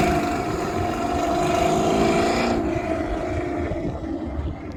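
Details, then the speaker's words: 2001 Toyota MR2 with Honda K24 swap, untuned, big muffler: smooth even idle hum, quiet, light wind over the mic, fading near the end; runs clean with no ticks or misses. "yep idling pretty smooth sounds good I like it yeah that ain't noisy at all"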